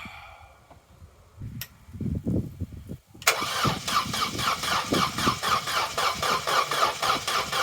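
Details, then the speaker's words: Vauxhall Corsa B, unused for 4-5 years, cranked after a gallon of fresh fuel was added to dilute old fuel: starter churns steadily at about four beats a second, slower than it should, with no firing; crank, no start. "it's turning over but it's not turning over as fast as it really should"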